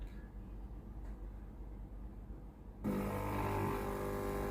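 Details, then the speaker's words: Philips GC9622 steam iron, customer reports steam leaking at the front, tested at power-on before water valve replacement: quiet room, then a click and steady low electric hum with faint buzz; water pump running normally. "entendu le bruit de la pompe à eau qui fonctionnait."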